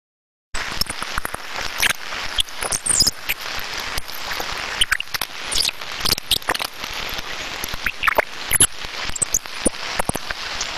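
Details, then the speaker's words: Industrial bearing heard through an ultrasound detector at the extreme-damage stage: loud harsh crackle with sharp squeaks, metal-on-metal rubbing from severe lack of lubrication. "you can hear from that squeaking sound there it's also apparent that there is clear metal on metal rubbing causing that sort of sound so there is a severe lack of lubrication"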